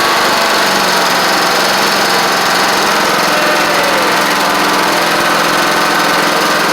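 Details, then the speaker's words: Troy-Bilt Horse XP on its replacement engine, first run on its own, in the evening with the owner skeptical of the carburetor. Loud, even, steady drone with no misses, knocks or rattles; it cranked up and ran great. Choke sticks. "But the fact that it just cranked up, ran great."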